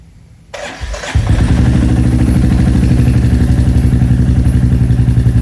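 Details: Royal Enfield Classic 350 with 410 big bore kit, second startup after remounting exhaust to fix a leak: fires after brief crank, steady even single-cylinder thump, no ticking or exhaust-joint puffing.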